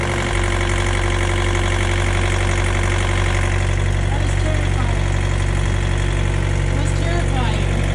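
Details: Refrigeration-unit (reefer) diesel engine on a trailer at a truck stop, idling steadily with an even beat of about 200 per minute and no stumbling or dying, after the reefer had quit; the cause remains uncertain.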